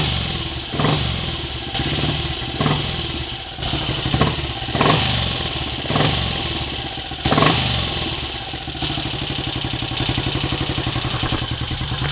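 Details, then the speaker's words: Triumph Sports Cub single-cylinder project bike, warm (run 10 minutes earlier), carburetor untouched, now more inclined to tick over; wet-sumps overnight with brief startup smoke; even tickover with a few light throttle blips, no knocks; mechanically sounds good. "Mechanically, it sounds good. Like I say, um I haven't been messing with the carburetor. It just seems to be uh more inclined to tick over."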